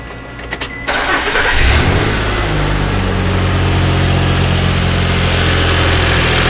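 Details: Nissan pickup with low power traced to a stink bug in the MAF sensor: brief crank, quick catch, short rev, then smooth even idle with a steady low hum; engine starting and running healthy.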